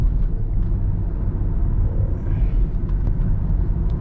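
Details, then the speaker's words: 2012 Dodge Durango Citadel test drive after greasing the popping rear CV axle: steady low road rumble with no popping from the rear; CV joint noise gone so far. "All right, so here we are in the test drive, and so far so good. It seemed to have improved. I haven't heard any popping coming from the rear yet anyways."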